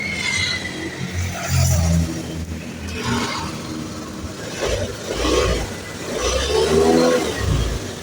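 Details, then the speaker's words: Honda Beat FI (ACG starter) scooter that stuttered (brebet) when pulling away; after a new TPS was fitted, it starts, settles and revs gently with slow throttle, then drops back cleanly with no stumbling, unlike the earlier stutter. "Oke, di sini sudah enak ya."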